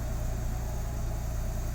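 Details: Nissan 300ZX Z32 VG30DETT twin-turbo V6 after lifter repair, warm with cooling fan working: smooth even low idle, steady deep firing pulse, no knocks or ticks; normal idle.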